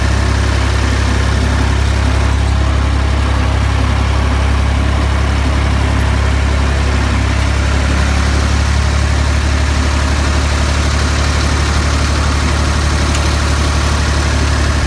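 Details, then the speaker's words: Ford 2000 diesel tractor after running on Diesel Purge at varying rpm, now back on diesel: deep steady clatter with even beat for fifteen seconds then settling lower; smooth idle, injectors appear cleaned up. "I think that cleared them up I think we've got good injectors now"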